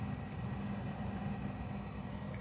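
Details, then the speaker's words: Van fridge-freezer for a 1984 Vanagon running on max setting: soft steady fan hum at one even pitch, no rattles or surging, air sucked in one side and light breeze out the other; condenser fan running normally. "and you would want to keep you wouldn't want to make sure this is well ventilated because i do feel here it's sucking air in and this side it's this light breeze"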